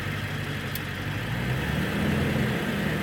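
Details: Early 1999 Ford Super Duty 7.3L Powerstroke diesel with TS 6-position chip, warm, back on stock 75 setting: steady, even diesel idle, low rumble, no knocks or misses; runs like a champ.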